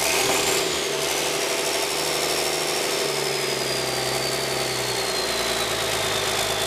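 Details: 1997 5.9 12-valve Cummins P7100, 960,000 km, started cold at half throttle after cracking the injector lines. It catches and runs rough, clattering and hunting as it clears out after sitting. Hard cold start.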